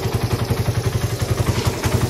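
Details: Freshly rebuilt Suzuki Raider 180cc with 30mm flat-slide carb, 68mm steel bore, ported and polished stock head and valves, gutted stock pipe, in break-in. Very stable, quiet idle: even thumps about ten per second, no stumble or clatter.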